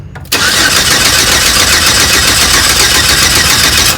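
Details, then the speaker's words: 4.3L Vortec with P0301 code and zero compression found earlier: starter cranks at about four beats a second but the engine never fires; owner suspects distributor timing 180 degrees off at top dead center. "unless I have my timing off on my top dead center cuz that could be could be that the rotor is not exactly correct"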